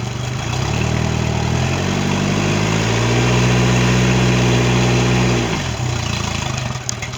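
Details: Mercury 90 hp outboard on a Suntracker after a no-start issue, final running check: steady even idle that swells smoothly with a brief rise in revs, then settles back; normal idle.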